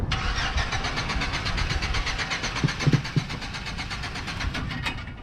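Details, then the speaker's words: Chevy Silverado cranking after a fuel pump replacement, fuel system primed; starter churns steadily about three per second for several seconds but never fires. Owner suspects spark plugs, wires or distributor cap rather than the fuel pump; not confirmed. "i'm not looking too good guys this is probably the spark plugs or no no no no no no the wires if not the wires the distributor caps but i don't think it's a fuel pump"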